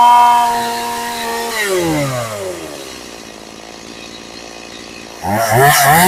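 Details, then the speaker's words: Stihl MS180C chainsaw after carburetor rebuild (was hard to start, bogged and died on its side): revs crisply to a clean high whine, drops back and idles well without stumbling; runs healthy, no adjustment needed. "All right, that sounds pretty good. Um, I'm going to sharpen the chain and stuff for this guy. But, uh, that's, uh, that sounds pretty good. It revs real good. I don't need to adjust anything. It idle idles well."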